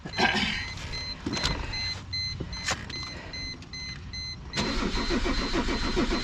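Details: Mercedes-Benz W210 E 300 Turbo Diesel, towed in with a crank-no-start condition, battery at 12 volts: engine cranks in uneven bursts under door chimes but never catches or idles; cranks without starting, cause not yet diagnosed.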